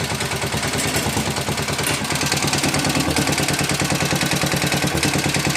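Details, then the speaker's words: 1961 IH Cub Cadet Model 70, 7 hp Kohler single, restarted on choke at half throttle: steady idle with fast tinny clatter over each firing pulse, not the engine, likely the fuel tank or sheet metal rattling; engine runs well. "But she runs good. It's not the engine rattling."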